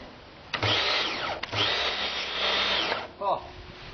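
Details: Domestic Karcher high pressure water cleaner, mains powered, after fixing its leak with replacement part 9036703: high steady motor whine with pump hiss, cutting in twice and running evenly each time; operating normally, good as new.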